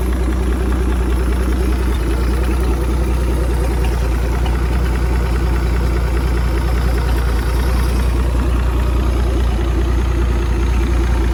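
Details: 1959 Graymarine 109 marine engine from a 1959 19' Lyman, after a complete overhaul, oil-pressure priming, timing set and carburetor adjusted: steady, even low rumble at idle with no knocks, misses or hunting; normal idle, running sweetly.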